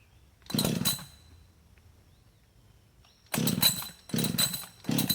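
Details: Husqvarna 562xp chainsaw, hot after heavy use and 15+ minutes in the sun at 91°F and ~100% humidity: rough whirring rope pulls, never fires; primer bulb not pulling fuel, vapor lock suspected; hot start failure.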